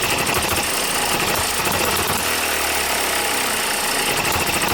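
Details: New OKMO Microcosm M92 miniature hit-and-miss engine, first run on Zippo lighter fuel with a few drops of outboard oil: fast even chatter, steady with no misses, knocks or stumbles; healthy running.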